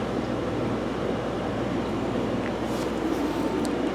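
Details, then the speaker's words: Fluval FX5 canister filter after cleaning and replacing cracked O-rings that let air be sucked in and caused noise: an even, low hush and soft rumble with no gurgle or rattle. Now running quiet, with better flow. "you hear that me neither totally quiet now so looks like the problem was that uh that O-ring or two that was a little bit of crack was allowing some water um some air to get sucked in and that was making all the noise"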